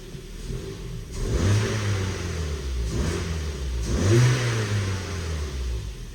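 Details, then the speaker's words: Ford Fiesta with a cylinder 4 misfire code, after codes were cleared: two clean throttle blips climb smoothly and fall back to a steady idle with no miss. It revved nicely before too. "it feels it feels okay it's revving up nice but it was revving up nice before do you know what I mean so u"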